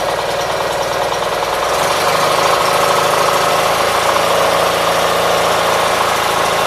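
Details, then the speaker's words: 1976 Gravely 816 tractor after repairs, started with dry carburetor and possible flooding: uneven low idle stumbling about four beats a second with pops that recover; running rough, a bit better than before, cause unclear. "so it's not idling dck a whole lot better than what it was last night so uh you see it pops and bags and recovers"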